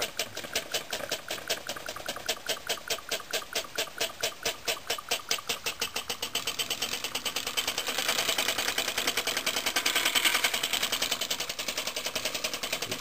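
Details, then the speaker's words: Homemade compressed-air engine from scrap, copper pipe cylinder, running on a compressor with its valve groaning for lack of oil: quick, light chuffs that soften and spread out as it slows. "let's crank it up a little bit it'll run in any position although you can hear it slowing down"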